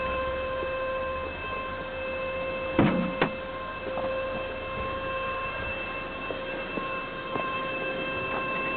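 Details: 1999 SAAB 9-5 2.0T, 156k miles, cold before warm-up: steady high-pitched whine at one pitch over idle; oil pump whine from thick sludge in sump blocking strainer/pickup, fixed by removing and cleaning sump and pickup.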